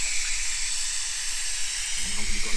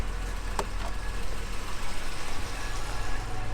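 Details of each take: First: 1978 Jaguar XJ6 Series 2 barn find: constant sharp hiss at header tank cap as cooling system over-pressurises though temperature gauge barely passes half; owner suspects cap lugs need bending for more pressure. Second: 1978 Jaguar XJ6 Series 2 barn find after bleeding cooling system: steady, even low rumble at about 800 rpm idle, no knocks or misses; engine running smoothly.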